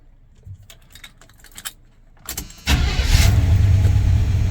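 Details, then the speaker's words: 1977 GMC Sierra Grande with a small-block Chevy 350 V8, after a valve and roller rocker arm adjustment, started without pumping the pedal: catches at once and settles into a low, even rumble with no valvetrain ticking; normal start. "Fired right up. She's running smooth as butter."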